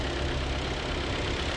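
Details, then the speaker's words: 2011 Hyundai Tucson idling after an alternator replacement. The old alternator was noisy from a failed front bearing near the pulley. Now a quiet, steady idle hum with no whine or bearing growl, and the noise is gone. "Nakumpleto ko na. Umaandar na. Wala nang ingay."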